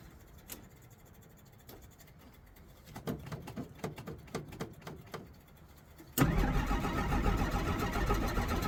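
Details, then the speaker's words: 1963 Jeep Gladiator with a probably near-dead battery after the key was left in the ignition. Quiet clicks, then about two seconds of uneven cranking that doesn't catch, then a loud rough flare: a hard start. "You gotta start up and stay cranked up because your battery's probably almost dead."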